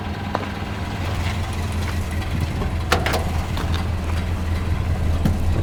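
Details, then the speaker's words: 1929 Ford Model A after oil pan gasket replacement and new oil filter fitted: low even four-cylinder idle with steady deep thrum, no knocks or misses, before test drive; sounds like it's idling really well. "Sounds pretty good. Sounds like it's idling really well."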